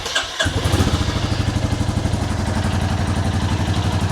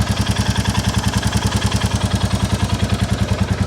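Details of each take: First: 2022 Royal Enfield Classic 350 Reborn, stolen and recovered, idling before valve check, mic removed: steady single-cylinder idle with light top-end tick each beat and puffing blow underneath; valve train tick plus suspected exhaust joint leak. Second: 2022 Royal Enfield Classic 350 Reborn single after valve clearance adjustment, exhaust-joint blow partly covered: steady thump about three and a half beats a second with only a light, even tick; normal idle, with the remaining noise from the exhaust blow.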